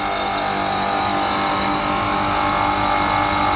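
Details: Newly installed Prestcold condensing unit replacing an undersized broken one, with a new 7.5 hp-rated contactor on a roughly 5 hp unit, restarted after a switch fix and sounding better; steady mid-pitched compressor-and-fan hum, no knocking; amperage unchanged; normal running.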